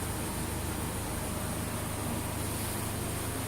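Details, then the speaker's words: Saturn Ion four-cylinder idling after cylinder head replacement, new plugs, and cleaned injectors, with no codes: steady, even hum, no stumble; the engine is purring along normally. "that cleaning must have done quite a bit because now we've got no codes as you can see here the engine is purring right along"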